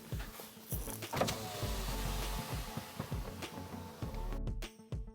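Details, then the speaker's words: Passenger-side car power window goes down at normal speed but rises very slowly; the motor whines with a labored, sagging hum, straining as the glass drags through dirty channels before lubrication with talcum powder. "যখন ইঞ্জিনের শব্দ শুনতে পাচ্ছেন নীচে যাচ্ছেন এবং গতি স্বাভাবিক তবে পর্যবেক্ষণ করুন এখন যে গতিটি এটি তুলেছে এবং গোলমাল এটি তোলে। যেমন আপনি দেখতে পাচ্ছেন, এটি তাকে অনেক কাজ করতে ব্যয় করে"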